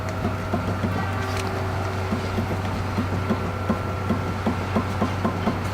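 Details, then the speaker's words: Dodge Caliber SRT4 front wheel jacked up and rocked top to bottom: quick, even clunks about three a second from play in the worn driver-side front wheel bearing, which caused a shake. "That's a bad wheel bearing."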